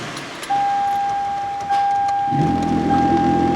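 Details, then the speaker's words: 2011 Toyota Sienna blower fan motor behind the passenger-side glove box: steady tone, then a rough, uneven shaking rumble instead of a smooth whoosh; bearings suspected gone bad, motor to be replaced. "you can hear that it is just shaking to death sounds like the bearings gone bad in it"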